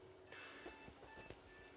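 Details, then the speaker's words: ASUS M5A97-LE R2.0 motherboard at power-on: repeating one long, two short POST beeps, a video initialization error. ASUS suggests memory, but memory and graphics card tested fine and wiring checked; owner suspects the board needs replacing. "Right, so these are the beeps you can hear, one long beep and two short beeps. Apparently what the problem is, according to this, one long beep, two short beeps indicates a video error has occurred and the BIOS cannot initialize the video screen to display any additional information."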